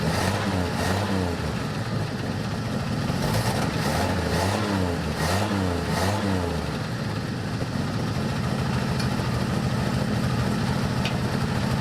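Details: 1984 Dodge Ram D100 with slant-six engine and 4-speed, first revival run: a quick sharp ticking that follows the revs. The owner first suspects a rod knock, but a broken manifold stud is leaking exhaust.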